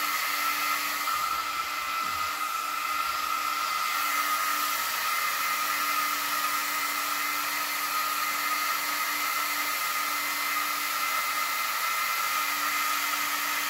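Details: Two Yeah Racing 40x40 Signal 10 cooling fans on a new aluminum motor shroud for a Losi DBXL-E V1 RC car, bench-tested plugged in: steady even high-pitched whir, no rattle or wobble; healthy.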